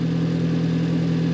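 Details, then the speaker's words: Car that was running rough, misfiring and smoking, after repair and running cold: steady, even idle with no stumble or miss and no smoke; smooth idle, to be rechecked once warm. "Got a smooth idle. That's good. That's real good."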